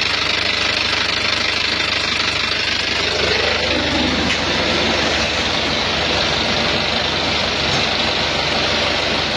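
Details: Isuzu Panther Touring diesel at idle, arrived with rough engine and oil leaks: quick uneven tek-tek ticking roughly three per second over harsh clatter, something loose inside; engine ticking.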